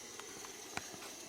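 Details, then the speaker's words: Air compressor tank after water drain, gauge dropped to 0 PSI: soft faint steady hiss with a few light clicks as the last few PSI bleed out of the drain; normal residual air release. "Alright guys, we're waiting on the remaining little bit of few PSI to get out of the tank. You can hear it there. See the gauge has dropped to 0."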